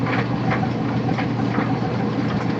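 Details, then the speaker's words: Old Kenmore Series 70 clothes dryer after fixing idler roller pin and re-routing belt around motor pulley between brackets: steady low drum rumble, soft tumbling, squeak gone; running quietly. "as you can now clearly see the squeak is gone the pin is no longer spinning and I can enjoy peace and clad as I dry my clothes"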